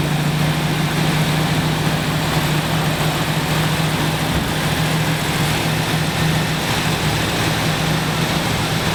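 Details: 1970 Dodge Challenger T/A 340 V8, just started after nine years in storage, not yet warmed up: smooth even idle with a deep burble, no lifter clacking, good oil pressure checked.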